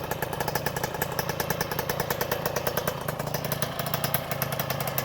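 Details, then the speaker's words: 1984 Honda MTX 50cc two-stroke with homemade exhaust from a 2004 Conti CHR, brought back to life: fast even popping at steady idle with a crisp rattly exhaust note; running cleanly. "On a ressuscité la bête."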